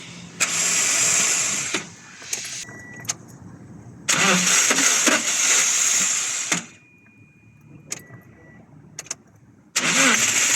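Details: Toyota Hiace: repeated bursts of cranking, each a couple of seconds long, with pauses and no catch; hard starting.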